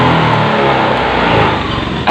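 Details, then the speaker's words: Honda Beat FI injected scooter: at full throttle revs climb then sag and stumble instead of pulling, followed by a sharp burst; power drops, engine nearly dies, no fault code shown; hesitation under full throttle, cause unconfirmed (TPS sensor suspected). "jadi ketika digas pol tenaga ini hilang bahkan mesin ke Jeddah mati"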